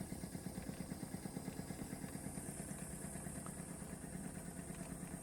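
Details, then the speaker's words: Wilesco D455 toy steam engine, boiler about half full: soft even chuffing at about two beats a second over a quiet steady background; running smoothly and very quietly. "Quiet. Yeah. How quiet that is. Very quiet."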